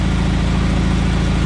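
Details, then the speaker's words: John Deere 317 garden tractor after reassembly, running at full throttle: steady, even drone with no misses but low pitch; governed top speed seems only about 3000 rpm instead of 3450, so high-end rpm needs adjusting. "i think the high-end rpms are off pretty sure it's only around 3000 instead of 34.50"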